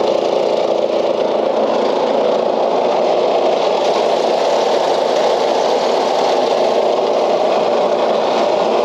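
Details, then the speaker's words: Old Craftsman LUV (Lawn Utility Vehicle) riding mower, non-runner revived, fuel cap left loose as vent suspected plugged: steady, even engine drone with no misses, surges or knocks; stays running and goes in gear; normal running. "all right well it stays running and it does go in gear"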